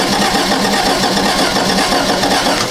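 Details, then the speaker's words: 1994 Toyota Celica not starting, with no spark at the plug boot or the distributor cap: starter churns the engine over in an even rhythm but it never catches or fires; crank no start from missing spark. "okay so no spark on the distributor cap either and by the way that was a different cylinder the one that I just checked at the cap"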